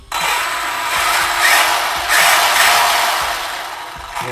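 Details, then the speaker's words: Arrma Big Rock RC truck converted with Senton parts (Hot Racing spur gear, 16T 0.8 mod pinion, mesh freshly set) powered up testing forward: smooth high-pitched electric whir spinning up and easing off, no clicking or grinding; drivetrain running healthy. "going to power it up and make sure everything is spinning good sounds good and all that"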